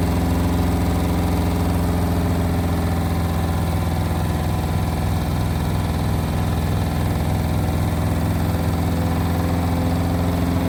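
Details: Indesit WIL143 washing machine on final spin at 1400 rpm: steady low drone with uneven rattling vibration from the drum; strange noise, cause unknown.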